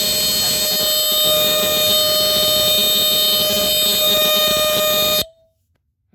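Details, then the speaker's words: Entronic Vigilante II ES-7 smoke detector, 9-volt retail model from 1976–1978 with an Edwards horn, sounding on its test button. A loud, steady piercing high tone holds about five seconds, then cuts off cleanly; the horn works properly. "and that's a high pitch. That's pretty high pitched."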